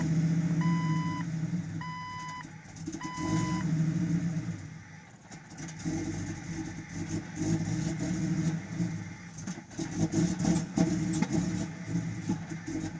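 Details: Jeep XJ Cherokee running with reverse beeps, then a rough, uneven idle with irregular pops and stumbles that never settle; misfire with rough idle and backfiring.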